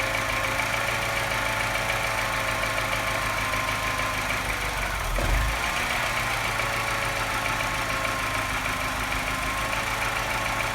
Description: Sounds not bad until the revs drop, then suddenly something changes and it starts sounding like a London taxi.